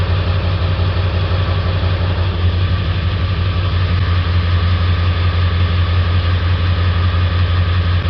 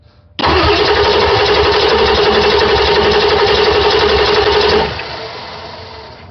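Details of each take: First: 1999 Ford 7.3 Powerstroke diesel, hard to start cold, loping with black and white smoke: steady drone with uneven loping pulse during cylinder contribution test; cylinder three dead misfire from faulty injector, other seven good. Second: 1999 Ford 7.3 Powerstroke diesel cranking during compression test on the bad-injector cylinder, even steady beat about four per second with no weak strokes; just under 350 psi, compression good, so the fault is the injector.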